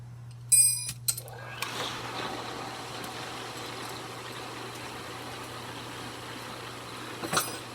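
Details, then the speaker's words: Hayward sand filter pool pump after replacing leaking backwash valve O-ring and gasket: few handling clicks then quiet steady low hum, no gurgle or rattle; normal running, no leaks after repair. "And we do not. Everything is good. The filter is working. No leaks."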